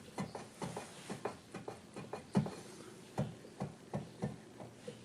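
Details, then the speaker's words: Used Kawai VPC1 keyboard, poorly packed for shipping: uneven dull key thumps with a gritty edge. The low A key sticks and sounds crunchy, and C is also crunchy. "Actually, I haven't pushed the blacks yet, but down here, A sticks, and you can actually hear it. It's crunchy."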